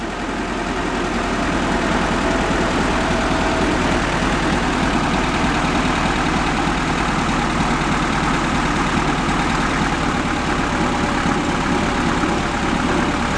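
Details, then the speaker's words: 71 Volkswagen Beetle convertible, carb idle turned down, distributor adjusted: low irregular loping idle; front cylinder suspected weak though it sparks and revs fine; valve adjustment to be checked first, plug wire end possibly bad. "I think the front cylinder is not doing much. Don't I don't see much of a difference on that one. Although it doesn't sound bad when you rev it up."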